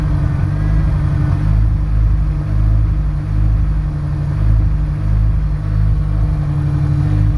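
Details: Honda S2000 idling and blipping with uneven stumbling beat and exhaust dips, persistent misfire despite new spark plugs, cause unknown.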